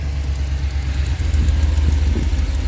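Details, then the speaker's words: 2005 one-ton Chevy Express van V8 after work on a cylinder misfire; steady, even low rumble at idle with no stumble or skipped beat; idles smoother than before, no codes. "looking at the engine it seems to be smoother as it's sitting there idling so I think we may have yeah"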